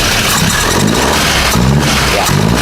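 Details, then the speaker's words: VW Golf 7 GTI engine after rebuild, running without intake pipes so no turbo boost: petrol engine blips up and settles in even, clean revs with no misfire, slightly slow to rev as it starves for air. "Very smooth. It's going to be a lot more smoother once the um once the pipes are on. So, right now it's just going to starve for air since it's not getting the boost from the turbo. Um, so when I rev it, it's just taking time to rev."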